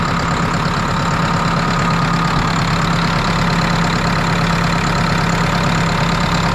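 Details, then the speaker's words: New Holland 6610S tractor, 5.0 L four-cylinder Genesis diesel, after head gasket replacement and valve job, fuel system primed: steady even diesel clatter at idle without misses or knocks, no radiator bubbles; normal idle. "See any bubbles in the radiator, so we must be good on the head gasket. Fired right up."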